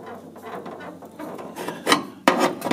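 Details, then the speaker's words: 1977 Pontiac Trans Am Y82, pre-restoration, incomplete previous shop work: irregular dry creaks and scraping rubs as the front end is pushed; the loose frame section shifts an inch or more and rubs against the body. "so this you know the whole thing's moving you can hear it meant to be able to see it the whole thing is just not together on the rocker back here"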